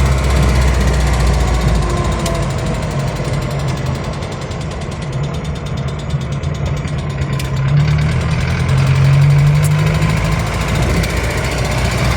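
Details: Van on road test after rusted fuel tank replacement, previously stalling and dying while driving: under steady road drone a faint regular knock about four a second tracks engine speed, diesel-like knocking plus tappet noise; piston slap.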